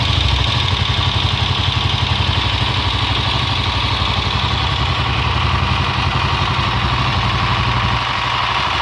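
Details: Honda XLR single-cylinder motorcycle at idle: uneven clatter over the beat, about 230 per minute; strange engine noise, fault unknown.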